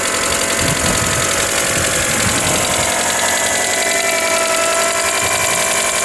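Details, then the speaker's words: Fiat Panda Mk3 4x4 after swap to a 1.4 16v engine, idling: dull non-metallic knock three or four times a second, louder over time, located on one side; alternator belt suspected as too tight, unconfirmed. "yes it's definitely on that side of the engine"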